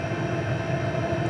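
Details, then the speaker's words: PH21A 2 kW 12 V diesel parking air heater running continuously: quiet blower hum with a soft, even low rumble and no abrupt changes; normal running. "it it it's a little bit quieter uh there isn't an abrupt noise like a household furnace where the furnace comes on and you hear the blast of air it also allows the heater to run continuously so that it's it's not turning starting and stopping"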